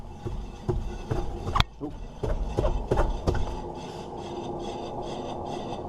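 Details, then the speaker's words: 1999 Honda Accord rear wheel: scraping brake rub over a steady, gritty rumble from a worn wheel bearing; while driving it roared loudly and went quiet in hard right turns. "that sounds lovely of course we got two things going on you got the brakes and then you hear that that is his bearing"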